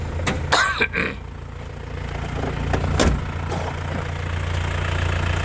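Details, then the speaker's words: 2001 Isuzu Panther LS manual diesel, cold start: catches on the first turn of the key and settles into a steady, even low rumble at idle with no knocks or misses; healthy battery, normal idle after cold start. "Jadi mesinnya ini sekali kontak langsung cegreng ya. Jadi akinya sehat."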